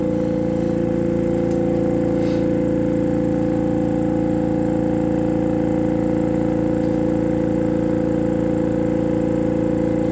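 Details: AromaO2 oxygen concentrator compressor hums with an even pump pulse of about 2.5 per second, yet the output shows no oxygen rise. The owner suspects the long test hose pumps too slowly; the finding is a disconnected internal hose.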